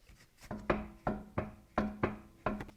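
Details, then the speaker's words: BMW E90 335i, rocking the wheel by hand during suspension check: hollow clunks about every half second as the wheel shifts on the hub; loose wheel bolts, not a bad wheel bearing. "you know what it is it's just the wheel being loose on the hub itself like we've got some loose bolts here"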